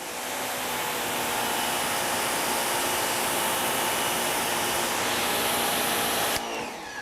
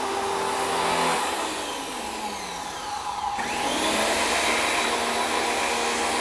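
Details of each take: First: WEN 2000 psi 1.6 gpm electric pressure washer tested with 2.5 tip, measuring about 1100 psi: steady rushing spray with even motor whine, no surging or cutting out; running smoothly and holding pressure. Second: WEN 2000 psi, 1.6 gpm electric pressure washer drawing about 12 oz of pure soap: the steady motor whine sags in pitch for a couple of seconds, then recovers, as the motor bogs down while pulling the soap.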